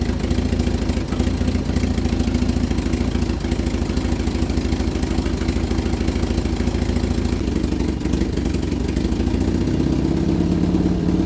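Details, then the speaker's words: Vauxhall Viva HC during rebuild, first start after refit with temporary fuel supply: constant clattering knock three or four per second through the idle; owner suspects flywheel clipping a loosely bolted gearbox cover plate, alternator and water pump ruled out. "well i was making a racket i think it was the flywheel clipping off a cover plate in the gearbox there's only one pull through it"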